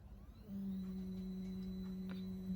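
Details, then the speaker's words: Stepper motor driven by L298 H-bridge from Arduino Uno (AccelStepper) with acceleration ramps, bench supply in constant-current mode; at profile maximum speed the motor runs at resonance, steady low hum with thin whine; would desynchronize under load. "you can hear a bit of resonance there. At the maximum speed of our profile, we're actually running that motor at resonance, and if you were to have had a load connected to it, it would desynchronize because of the resonance."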